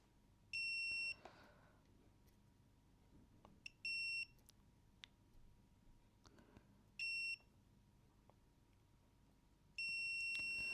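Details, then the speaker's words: Badly damaged PlayStation 1 SCPH-7502 mainboard: four short high multimeter beeps as the probes touch test points, probably ground points, before fitting a part. Continuity is good. "Yep. They're good."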